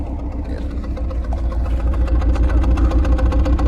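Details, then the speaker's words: BMW E36 cold start after sitting two days; sputters into limp mode from mid-temp: uneven lumpy idle, about three to four pulses a second over a low rumble, pretty bad misfire; owner suspects plugs or coil packs/wires, doubts vacuum leak; cause unconfirmed. "Pretty bad misfire, so I'm gonna probably end up checking the plugs and then checking the coil packs, and yeah, coil packs, wires, coil wires, all that, and hopefully figure it out."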